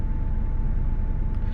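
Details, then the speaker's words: 4.6 V8 truck, first spring start after winter storage on old stale gas, battery just recharged: cold idle with an uneven, lumpy low rumble and a faint steady whine on top; rough idle, cause unconfirmed. "Isn't that old stale gas running in there? Yeah, I had to put that battery on a charger. Oh boy, that's rough."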